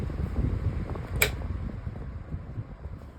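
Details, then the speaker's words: 1998 Boston 16-inch pedestal fan, running after high speed back to low: slows down noticeably, low uneven rumble with rough wavering drone and a sharp click; motor sounds bad and worn, oscillation also has issues. "Slows down noticeably. The motor does not sound good at all."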